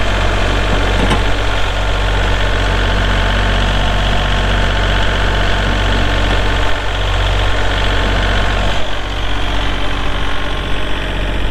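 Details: 2022 Kubota L3901 4WD hydro tractor diesel, 219 hours: even, steady idle with the usual light clatter and a deep regular beat, no knocks or misses; it runs healthy.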